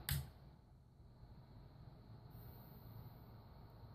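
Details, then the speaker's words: Harbor Freight 400W modified sine wave power inverter switched on, mic close; click then faint steady low hum with light buzz as output ramps up while internal capacitor charges, similar to buzz on house power; normal startup hum. "So that's just the inverter startup sound, because actually the wave actually gradually increases in gain as soon as the inverter is turned on."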